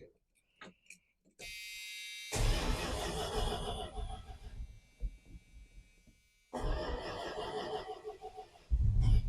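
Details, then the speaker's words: Dodge D100 pickup before alternator upgrade, battery drained from not charging then sitting and running lights: sluggish, labored starter cranking for several seconds, a pause, more cranking, then it starts; weak battery. "This battery's, it had gotten drained from it not charging the first time. And then it's been sitting here and the other day doing the lights and all that kind of stuff. I don't know how much juice it's got left."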